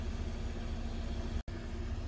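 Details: 2015 Hyundai Sonata idling. Smooth, steady low idle with an even rumble and no knocks, ticks or misses; engine sounds healthy.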